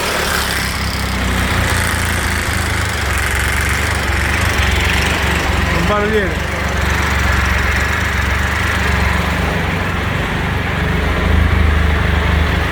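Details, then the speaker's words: Triumph Explorer 1200 triple, hot after a ride, idling with a busy uneven mechanical clatter over the low rumble; owner says the noise occurs hot or cold, cause not identified. "Ó, acabei de chegar em casa, moto quente, vou ligar. Barulheiro."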